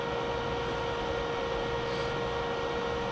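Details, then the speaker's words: Mean Well RSP-1500-48 charger charging 48V lithium batteries in a 50 amp RV inverter setup. A steady electrical hum near 500 Hz starts when the green light comes on after voltage adjustment. Battery voltage rises to 56.7–56.8 V, showing normal 1500 W charging. "when the green light kicks on you can hear a hum so you can tell that it's actually charging that 1500 watts"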